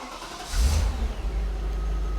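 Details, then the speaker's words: Audi C5 RS6 V8, warm start after driving (coolant 90°C, oil about 70°C) following cam belt and cheap cam chain tensioner replacement: catches quickly and settles to a smooth low idle with no startup rattle. Cam phases read 0, 0. "Like I say, I've been out in it today, so everything's up to temperature."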